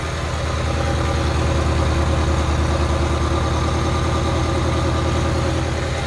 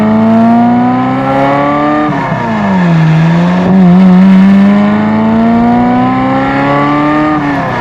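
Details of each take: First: 1994 Euro-spec Ferrari F355, Capristo exhaust with unknown cats, earlier O2 sensor faults and poor-looking spark plugs: deep, lumpy idle stuttering and stumbling about three times a second with a side rattle from rough running; misfire, one cylinder not firing. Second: Euro-spec 1994 Ferrari F355 after spark plug and plug wire work; earlier hesitation/break-up up to 1500–2000 rpm now gone: pulls cleanly, revs rise and fall smoothly with even note; running healthy.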